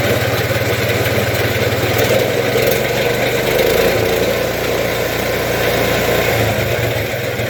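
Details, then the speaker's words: Case Ingersoll Snowcaster snow blower auger running with about half an inch of play on both sides: engine drone with a loose, irregular rattling knock three or four times a second; should be quiet. Worn auger bearings. "this one's an extreme case but these things should be pretty quiet when they're running so"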